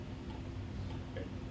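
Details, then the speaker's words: 56-inch 1987 Gulf Coast Naples ceiling fan on low-medium speed: light irregular ticks over soft motor hum from canopy, loose and wobbling on knock-off Casablanca-style hanger mount. "that noise you're probably hearing is the canopy this fan uses a knock off of the hanging truth of casablanca"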